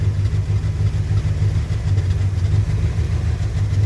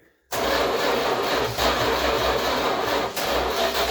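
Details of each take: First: 1966 Chrysler New Yorker V8 after sitting 18 years, carb cleaned out: deep, even low burble, steady rhythm, no knocks or misses; idling lovely and quiet on first revival run. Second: 1966 Chrysler New Yorker V8, parked 18 years (last tagged 2005), first start with fuel drip-fed into the carb: runs ragged like a bus with near-stalls, not getting enough fuel; carb needs a rebuild.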